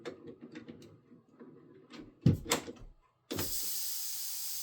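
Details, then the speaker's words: Samsung WindFree 2.0 indoor unit coil replacement: after handling clunks, a steady hiss as the flare fittings on the new coil's head are broken and its factory nitrogen holding charge escapes, as expected. "and then you're going to break your flare fittings on the head. It should have a nitrogen charge in it."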